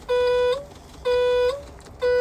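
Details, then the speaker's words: Machine in reverse, after not going into reverse or forward, wires traced to a small box while watching voltage: clear mid-pitched backup alarm beeps about once a second, evenly repeating; alarm sounding normally. "watch the voltage and listen to the backup alarm it's in reverse right now"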